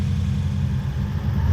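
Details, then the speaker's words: Toyota Hilux 2WD pickup with 1UZ-FE Lexus V8 swap, which was pinking, jerky and rattling under throttle: deep, uneven, lumpy running with rough rattle as revs rise. Ignition timing found 30 degrees out, at 40° BTDC. "we put the timing light on it and I've done a little video on the timing and the timing was out by 30 degrees that was sitting at 40 degrees before TDC"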